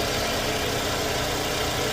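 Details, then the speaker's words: Scion xB idling after an engine flush, oil change and Liqui Moly anti-friction additive: steady, even idle hum with no knocks or ticks; the motor is noticeably quieter than before. Normal idle. "all right guys so that's all for the oil change um everything seems to be running good the motor is a lot quieter"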